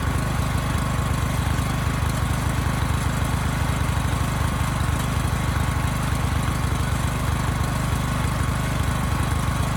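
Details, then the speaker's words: Briggs & Stratton generator repowered with Subaru EX30 (EX300D) single-cylinder engine, clone Mikuni carb running rich, no load: loud even low thumping that never rises; runs below governed speed, governor spring too weak even fully adjusted. "the spring doesn't have enough spring to bring this engine up to speed even after turning this all the way in"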